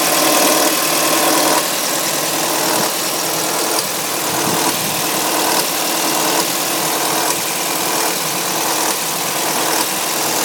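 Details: Sharp, fast metallic ticking about four per second over a hissy idle from a 2005 Audi A3 2.0 FSI on cold start, lasting about 3 minutes before normal injector sound; owner suspects tensioner, not confirmed.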